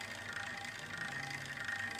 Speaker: As you can pull over here, very noise. So, trying to get it where y'all can hear it. Got really bad bearing noise.